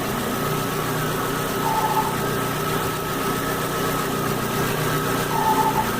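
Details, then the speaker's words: Chevrolet engine idling with a faint, constant whirring whine from a worn water pump; the fix is removing the timing belt cover and replacing the water pump and timing belt. "o barulho da barão para acorrer barulho é proveniente da bomba d'água então vai ter que montar a correia dentada tirar essa capa e trocar essa bomba d'água vai resolver barulho"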